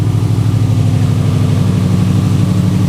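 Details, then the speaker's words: Fully built Subaru EJ25 flat-four idling while warming up after reinstall; engine pulled over suspected bent valves. Even low burbling idle, no ticking or clicking; owner hears no bent valves, everything sounds relatively good. "I don't hear any bent valves. Everything sounds relatively good."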